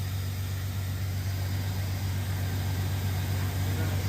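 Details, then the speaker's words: Jeep Cherokee 4.0L inline-six at 345,000 miles after piston replacement (original rod bearings and rings reused), air duct off: steady smooth idle, no knocking, faint hiss, 50 psi oil pressure; stumbled at first start, probably while relearning. "It's not knocking anymore. >> Damn. >> 50 lbs of oil pressure. >> Wow, that sounded really good."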